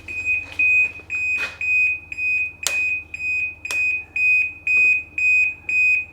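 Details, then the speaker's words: 2010 Ski-Doo 800R snowmobile, dash powered from battery with a Can-Do Pro diagnostic tool connected: sharp, high-pitched beeps about twice a second in a quiet room as the dash shows shutdown with stored fault codes. "oh well that's awesome feature just keep beeping till I can't stand it anymore man that is noisy"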